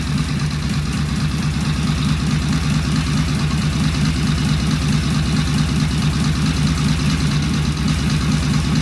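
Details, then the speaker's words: Vintage British motorcycle, first start, known runner, fitted with pseudo-Dunstall mufflers: steady, even, crisp exhaust beat and good idle, no knocks; running normally. "Wow, that sounded good. I feel bad is that sounds better than beauty did."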